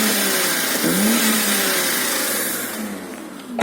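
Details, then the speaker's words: BMW E31 8 Series with the V12 M70 after engine work, exhaust revved while hot, temperature stable: clean rising and falling rev with a smooth, even exhaust note and no ticking on top; the V12 sounds healthy. "Voilà, donc ça chante plutôt pas mal."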